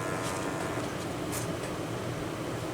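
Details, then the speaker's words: Repaired fan from Wanhao Duplicator i3 / Monoprice Maker 3D printer running at 12 volts: steady smooth airy whir, previous buzzing gone, though slightly off balance. "see it's spinning and it no longer it's buzzing i don't even know if you can hear it yeah it's it's really smooth now"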